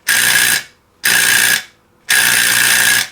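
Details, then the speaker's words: NuTone 478 apartment intercom door release on 16-24 V AC with its suppression diode removed: three harsh, raspy half-second buzzes; release chatters loudly without the diode. "I'm going to say 99.5 of all installations the diode has been removed or it's been snipped off and left hang in there purpose of the diode is to spread it from sounding like this"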